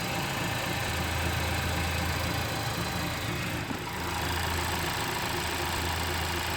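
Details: Honda Civic FK8 engine idling steadily with a constant high-pitched whine over the low hum.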